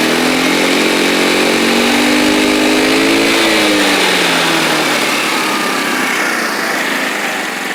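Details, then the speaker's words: X-Pro X20 scooter after fixing a factory-blocked fuel pump air line: small engine at fairly fast steady idle, dips briefly then holds, set higher than spec because lower it wants to stall; runs cleanly, idle slightly high. "idol might be a little high but i don't know i think i get the feeling i'd rather it be high idle than conk out"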